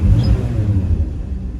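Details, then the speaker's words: Classic Dodge D150 truck engine, cold at startup: deep, steady rumble, ticking over far too fast; the owner blips the throttle to slow the idle. "as you can hear the thing's ticking over far too fast try and slow it down down by blipping the throttle for a"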